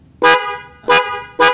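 Three short, clear, even-toned honks about half a second apart, each firing cleanly: the horn is working properly.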